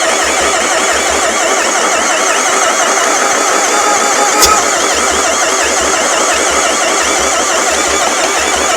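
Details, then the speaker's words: Long-parked non-running Renault Master van, cranked after a squirt of brake cleaner into the intake: steady, even cranking pulses for several seconds with no catch or firing. Suspected of having no compression at all; not confirmed. "I don't I don't think that's got any compression of any sort by the sound of it."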